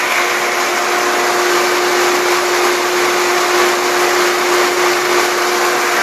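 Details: Pool pump on a VRS/SVRS system set to unprotected mode, about 15 minutes in after earlier failing to prime: loud, steady hum with an even water rush, no gurgling or surging; the pump is primed and running normally.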